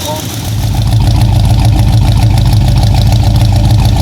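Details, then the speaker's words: 1966 Ford Fairlane GTA after fitting a new starter, replacing the wrong one that hit the new flywheel: engine catches and settles into an even, steady idle with smooth low rumble and no grinding or clunking; normal. "But come to find out, I believe this was the wrong starter because we went ahead and bought a new one. And as you'll see here in a minute, she purrs like a kitten."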